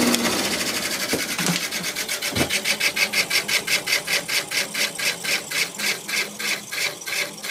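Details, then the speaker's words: Haier 5000 BTU R410a window AC, probably in its third year, first season startup, max cool, fan low: a rapid even rubbing swish, about four per second, over the fan hum. The owner suspects the motor bearings; it is new since last year and the cause is unconfirmed. "don't know what in the world that's rubbing on that could just be the motor bearings I would mean it didn't sound like that when I took it out of the window last year so I have no idea what that is"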